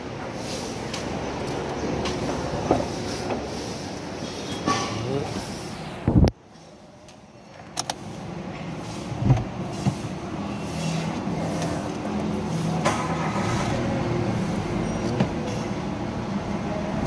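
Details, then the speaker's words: Mitsubishi Mirage after fixing the cylinder 1 injector socket/wiring that set P0301 misfire and P0261 injector circuit low codes, codes cleared: steady, even idle with no stumble, misfire gone. "yun. wala ng palya."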